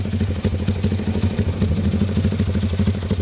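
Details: CB with newly fitted PE 33 Jumbo carburetor: even, quick thumping single-cylinder idle with steady pulses, no misses or hunting; clean, healthy idle.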